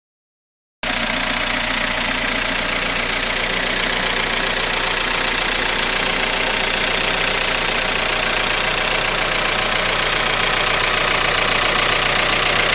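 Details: Freshly rebuilt Toyota 4AGE 20V, about 500 miles since rebuild on break-in oil, possibly 20W50, with no oil use or smoke: a fast, light, even ticking at idle. Owner suspects the valves or the VVT pulley.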